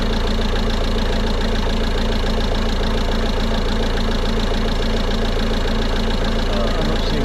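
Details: 2016 Peugeot Boxer 2.2 diesel idling after a DIY fuel, air and cabin filter change, self-bleeding fuel system primed by switching ignition on for 10 seconds about four times: steady even diesel clatter, no misfire or stumble, normal idle.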